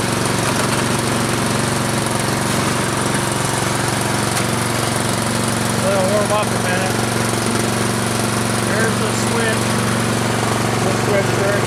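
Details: Troy-Bilt Storm 2840 electric-start snow blower, started on choke with three primes, choke then opened: steady, even single-cylinder drone with a constant beat and no misfires or surging as it warms up; normal running.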